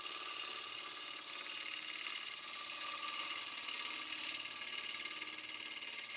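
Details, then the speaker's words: Wood lathe turning: hissy cutting noise with an uneven dut-dut pulse about three times a second as the tool cuts air across a gap on the not-yet-round blank; interrupted cut on out-of-round blank. "I think we are not quite round yet. Nope. You can kind of hear it when it's not round yet. You kind of get that dut noise."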